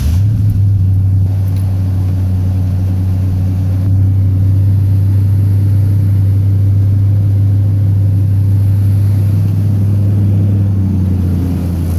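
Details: Petrol engine at idle: low, lumpy rumble that pulses and wavers instead of holding steady; vacuum leak because old, brittle PCV valve lines let the PCV valve pop out of its socket.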